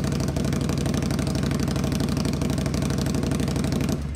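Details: Cold start on a 2021 Indian Scout Bobber Twenty V-twin with Vance & Hines Twin Slash slip-on exhaust, before adding baffle material: loud, choppy, deep uneven idle pulses, then shut off; exhaust excessively loud.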